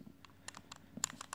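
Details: Simtoo Dragonfly drone after a motor failure made it fall from the sky: light, irregular ticks and clicks, several per second, as it is moved. Loose broken pieces are rattling inside the broken gimbal.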